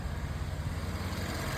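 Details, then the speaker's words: EA825 4.0T V8 after replacing a failed turbo-to-actuator hose part that caused a high-pitched squeal and bank 2 misfires (cylinders 5–8) at idle: smooth, even low idle with no whistle or stumble; problem solved. "So far, so good. Problem solved. This thing's idling better than it has since I've owned it. I couldn't be happier."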